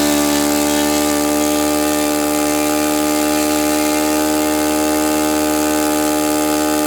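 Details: Saito FA-91S model four-stroke glow engine, not run in many years, on a test stand on a chilly ~60°F day, running a Fox Miracle plug: high, steady buzzing note holding perfectly even with no sputter or sag; normal, clean running.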